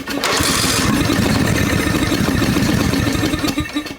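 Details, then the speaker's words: 2003 Snapper rider mower, throttle brought off idle: rough, uneven sputtering and popping, tries to kick but never runs, flaming with fluid leaking and vent tube off; reversion suspected, valves to be checked. "she's trying to kick some of this stuff is leaking out of here this tube is not on that's the vent tube okay foreign yeah she's flaming all right so there's some kind of reversion going on we need to check the valves"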